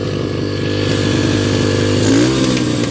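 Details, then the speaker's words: 2005 Yamaha 125cc dirt bike, carburetor reinstalled and fuel injector cleaner added, running without the battery connected; small single buzzes at a fast, slightly uneven patter and keeps running; broken idle part still to be ordered. "And so I got it running. What I'm going to do is, you see it's running without the battery. It's not connected."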